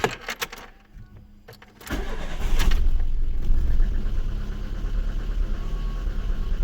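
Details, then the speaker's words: Lada Kalina petrol engine after valve clearance adjustment, running on BRISK Silver spark plugs; lumpy uneven idle, a cylinder misfiring from a faulty plug that arcs through, with the engine shaking. "чуєте як з перебоями робе троїть чуєте Ось вам і свічки бризка слухайте дивіться як його ковбаса як його трусить"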